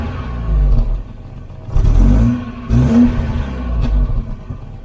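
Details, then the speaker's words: Volvo 240 wagon (245) petrol four-cylinder, revived after standing for years: revs up in a few blips and settles to a low, even hum, running nicely. It needs fresh oil and is perhaps slightly rough. "so now it's just purring like a kitten can't believe it sounds great runs really nice"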